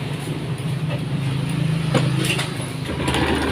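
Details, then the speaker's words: Honda Beat POP scooter idling: rough, busy rattle over the engine hum from the CVT, diagnosed as a worn roller housing; the housing was replaced. "Di sini suaranya berisik sekali, kedengar dari suara yang telah dibunyikan sekali lagi. Disitulah. Menurut analisa kita, di sini adalah mengarah kepada rumah loader yang telah aus."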